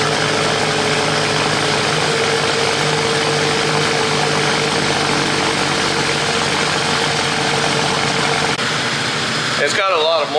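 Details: BMW cold start idle after sitting a few days in a damp, freshly washed garage: steady idle with a slightly busy exhaust note, no knocks, misses or rattles; moisture in the exhaust, not a gasket leak; normal cold start idle.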